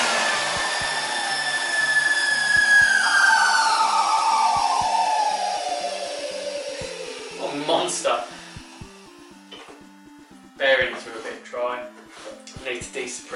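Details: 1988 Numatic WVD 750 industrial vacuum with twin B2-1004N motors (1600 W combined): high motor whine with a rough, dry edge, pitch sliding down as it runs off; dry motor bearings.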